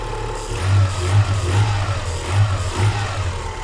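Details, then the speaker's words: Haval Hover (Great Whale) engine after repair of a timing belt that had jumped 4 teeth (valves not bent), previously knocking like a diesel with surging idle; now steady, smooth, quiet even idle while warming up, no knocking. Normal idle. "Работает достаточно ровненько. Сейчас прогреется. Кстати, работать начал по-другому."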